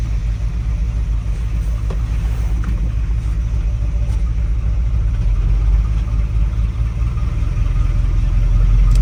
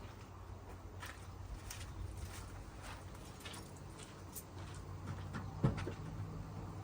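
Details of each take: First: 1981 Dodge Ram 350 V8 with Edelbrock 600 CFM carburetor: uneven loping idle like a four-cylinder Model A until above the idle circuit, lean on one bank; clogged idle circuit, cleared by blowing compressed air through it. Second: 1981 Dodge Ram 350 carbureted V8 with Edelbrock 600 CFM carburetor, after blowing out the idle circuit with compressed air and resetting idle screws: low, even rumble with steady beat, no stumbles; now idling smoothly.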